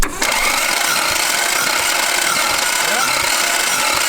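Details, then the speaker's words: Toyota Supra Mk II 5M-GE compression test with all spark plugs out, cylinder 6 plugged: steady rushing hiss of air escaping from cylinder 5 as engine cranks, confirming a blown head gasket between cylinders 5 and 6. "Right, we plugged up 5, so there's Yeah. definitely shit between 5 and 6."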